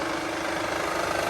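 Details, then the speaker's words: 2009 Honda Pilot, J35 3.5 V6, 207K miles on original timing belt, idling; mild soft knock under busy mid-pitched clatter, not a rod knock, seemingly from rear bank (bank 2); suspected cam or timing belt; teardown found failing cam: valvetrain knock. "It sounds like it's from the rear bank, but we either have some noisy cam issues going on here, or we've got something failing in the timing belt system."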